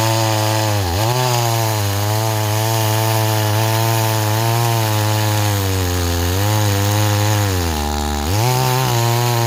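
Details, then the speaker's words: Stihl 026 chainsaw after no-start repair, running on a 20-inch bar cutting hickory: strong, steady two-stroke howl dipping briefly as the chain bites and recovering cleanly; runs and cuts healthy, though it cuts slowly with the 20-inch bar, better with an 18. "okay it's doing a lot better now I really think the 026 should be with an 18 not a 20 that's just my personal opinion it cuts a lot better with an 18 than it does a 20"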